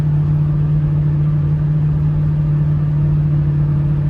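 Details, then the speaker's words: Ron's 6.0 Powerstroke diesel truck at highway speed: low steady drone with faint uneven exhaust pulsing ("bouncing"), a miss; cam and crank sensors, FICM, PCM and IPR valve all replaced, floating valves questioned, cause unconfirmed. "I don't know if you can hear the exhaust. We got it bouncing like that. I mean, I'm doing highway speeds."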